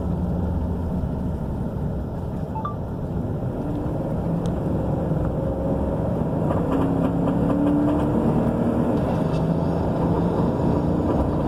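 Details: 2015 Chevrolet Silverado 5.3L V8 running with a lumpy, uneven low beat that never smooths out and little power; engine fully torn down and passenger-side head rebuilt, but the misfire persists, cause not yet found.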